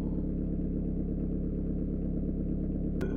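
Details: Citroën/Peugeot 1.9 diesel with mechanical injection pump idling after valve clearance adjustment (tappets had been too tight); steady regular low clatter about three beats per second, no extra tapping.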